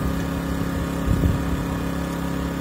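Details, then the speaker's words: Pulsar G2319N 2300W/1800W generator at first run, warming up at about 3000 rpm in non-economy mode: an even, steady low drone with no surging, knocking or vibration; running smoothly and healthy. "yeah good start so far well it's running pretty smooth uh no vibration on this thing"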